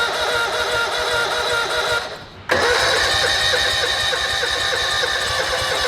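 Small engine catches after a brief dip and settles into a steady, busy buzz with no misses; running cleanly now.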